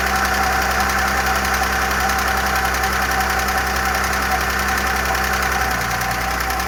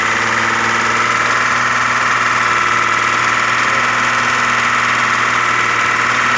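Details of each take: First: Audi A6 engine restarted after a repair on its oil system: fast, light top-end clatter over a steady idle, gradually fading, as hydraulic lifters pump up; mechanics suspect they may have been damaged by running without oil. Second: Audi A6 engine at idle after hydraulic lifter knock faded: smooth, even hum, no top-end tapping; only injector sound remains, old oil was like tar, oil change recommended.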